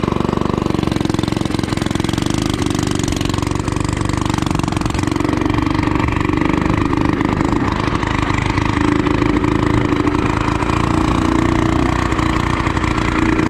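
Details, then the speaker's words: Budget-built cafe racer motorcycle on its first ride, pipes still unfinished: uneven, lumpy engine note with wavering low drone; rough running because the carburetors aren't fully in tune yet. "you can hear, the carburetors aren't completely in tune just yet. Uh, I'll have to fix that a little bit later."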